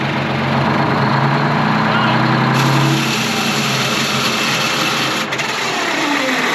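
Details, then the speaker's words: Twin-turbo Detroit Diesel 12V71 generator running after revival: steady diesel run, then a harsh whirring grind as flipping the switch engaged the starter into the spinning flywheel, and the engine shut off. "that tried to start dude that engaged the starter while it was running you know what i'm saying"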